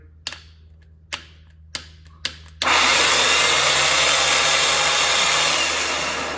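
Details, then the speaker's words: Starter motor from a non-starting truck, bench-tested with its electric motor side hooked straight to a battery: clicks as leads touch, then a harsh, gritty whir that eases off; doesn't sound great, starter motor fault. "spins but it don't sound great so took the eight millimeter headed bolts out that are holding the electric motor into place"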